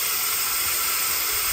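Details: 6.0 Powerstroke diesel with hot crank-no-start, valve cover off, engine not running: constant sharp hiss of air escaping past an upper injector o-ring on the high-pressure oil rail, shown by oil squirted there blowing out.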